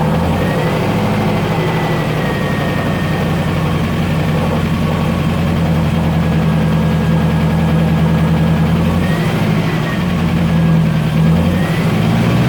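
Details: 1972 Range Rover V8 idling with a low rumble and a faint loose rattle riding over it, steady with engine speed; cause unclear, something loose suspected.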